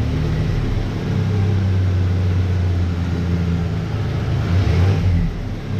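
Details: 1988 Dodge Ram V6 at first startup after the engine was reinstalled following months of work: deep, even low rumble with a slight swell in revs and no knocks or rattles; normal running.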